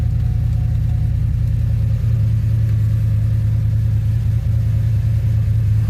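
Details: 2007 Pontiac GXP idling after head bolt thread repair (suspected blown head gasket or unsealed head after coolant loss): steady deep rumble, even low beat about three per second, no knocks or ticks; normal.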